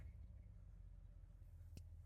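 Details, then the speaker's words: Old truck that sat 12 years, back running after the belt squeal problem was fixed: low, steady engine rumble with no high-pitched chirp or squeal on top; belt drive quiet and healthy. "Feels good to have Pop's truck back going and not squealing with belt noise and all that stuff."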